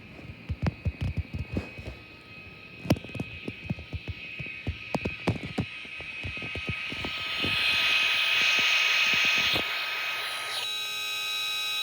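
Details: VTech MobiGo 2 handheld with game cartridge seated tilted: irregular sharp clicks, then steady high whine and loud hissing buzz about two seconds, vacuum-like; malfunction from crooked cartridge.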